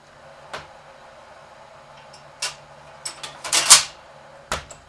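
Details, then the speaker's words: Restored Vendorlator (VMC) 56 Pepsi machine, original paint, rust spots repaired, new thermostat: 75 cents inserted, the rack kicks in with sharp clunks and a short metallic rattle as it trips and drops a bottle. Normal vend cycle. "We'll put a little bit of money in there. $0.75. You'll hear the rack kick in."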